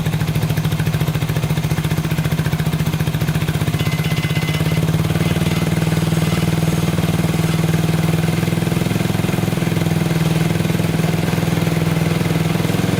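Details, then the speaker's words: 1987 Honda 250X after new valves, a new coil and about a thousand kicks, idle adjusted up: the single-cylinder four-stroke settles into a steady, even idle with a regular low thump and no knocks or misses. Normal idle. "well it uh it runs oh man that took forever to get"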